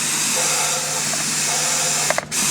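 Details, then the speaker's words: GM 6L90/6L80E transmission on the bench, air applied to the clutch drum; a steady high-pitched hiss with short pauses as air escapes past new sealing rings, even when spun to seat them. Sealing ring air leak. "See that air noise coming right out of here. Now I'm going to spin this. See if these rings seat. I don't care what I do with these rings, the noise is still coming."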